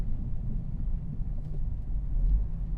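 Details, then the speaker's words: 1999 Volvo S40 automatic, one owner 11 years, just after a full-throttle Sport-mode launch from a light: low lumpy idle swells and sags unevenly with no clean rhythm; engine struggling near stalling but keeps running. "Все, в полу педали она погибла. Да. Все, погоди, не заглохнет?"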